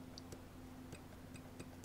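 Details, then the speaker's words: Soviet Akson Nafanya ZX Spectrum clone, first power-up after PSU restoration with the power light on. A few faint, irregular soft clicks over a quiet hum suggest the board is alive; normal power-up click. "there is a small noise that's a that's a click if ever I heard one this thing is probably alive"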